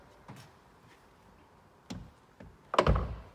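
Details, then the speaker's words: Door closing on a Volkswagen Golf SE 1.6 TDI BlueMotion Technology Cabriolet: a few light taps, then one solid, deep thud with no rattle. The door latches cleanly and closes correctly; normal door closing. "just listen to that clunk do it again just a nice clunk that's the sound of a good quality door a good quality door that closes correctly"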